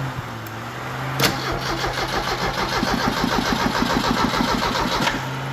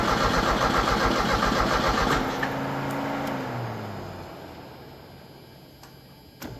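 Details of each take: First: 1986 Merkur XR4Ti 2.3L turbo Ford donor engine, test crank: steady rhythmic starter cranking about three turns a second, no firing, even and unbroken; normal cranking. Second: 1986 Merkur XR4Ti 2.3 L Ford turbo donor engine, first test fire: starter chugs about two seconds then winds down without catching; cranks but won't start, later found flooding with too much fuel spraying.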